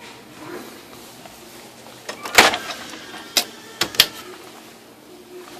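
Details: Oki Data MB480 printer, a new replacement unit that shows errors and jams with no obstruction: quiet hum broken by three or four harsh grinding rasps a second or so apart in the feed or drive.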